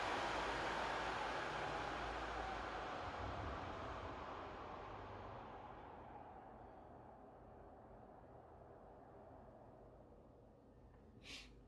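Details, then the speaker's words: PS5 after cooling upgrades, fan dial turned down from max toward a quarter/stock speed: steady airy rush easing to a quieter hiss, smooth with no rattle or grinding; normal fan at reduced speed. "so basically that is um back to stock and this will be just a quarter after just a quick knit there is a difference as well that is faster than stock"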